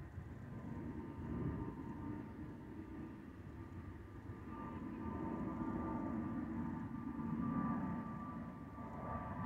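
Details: Delta Airbus A319-114 N366NB in cabin on flight PIT-DTW: thin, steady whistle near one kilohertz over deep cabin rumble, the normal fuel overpressure protector (FOPP) whistle.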